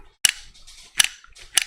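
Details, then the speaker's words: Harley fly-by-wire throttle body with no idle air control motor; the throttle motor constantly jockeys the plate at idle, wearing 2–3 gear teeth. Throttle blips give three sharp, dry clacks as the plate snaps back: worn teeth, excessive backlash, cause of throttle lag. "So what happens when you blip the throttle and you're blipping it and you're constantly doing like that, you're snatching on those teeth, all right, and you can hear it."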